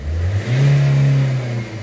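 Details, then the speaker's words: Nissan/Vauxhall/Opel diesel after cleaning the EGR valve, revved while driving with the window down: clean, even rise and fall of revs with no stumble, flat spot or misfire, and no smoke; the issue is fixed. "Oh perfect hopefully that's coming through on camera that just rents so smoothly now"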